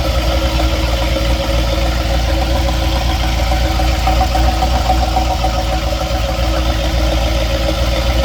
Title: What's that knocking noise?